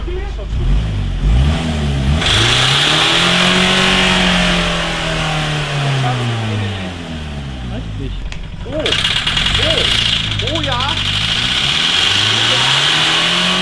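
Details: Mitsubishi Carisma diesel runaway after several liters too much engine oil overfilled; engine screams on its own, revs surging and falling in long uncontrolled sweeps with no throttle input.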